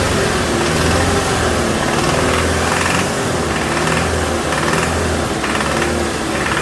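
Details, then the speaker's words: 2007 Toyota Tacoma 2.7 four-cylinder with throttle held at higher rpm during an injector fuel-cut test. Hard, rapid metallic knocking that doubles when number one cylinder is cut; teardown found a spun connecting rod bearing: rod knock. "so now it's got a double knock when i kill number one cylinder but it definitely seems to be related to number one"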